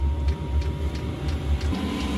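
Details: Chinese diesel air heater on an Eagle bus conversion, after fitting the intake muffler: steady low rumble with a soft regular pulse and a faint even tone; heater running smoothly and quietly.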